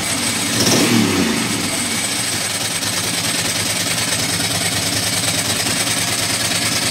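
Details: Ducati Monster M900 Sie V-twin, really that loud: blips, then a ragged, uneven idle with skipped pulses. Engine misfire that seems to happen when cold or wet; owner plans to check the headlight wiring loom; cause not confirmed.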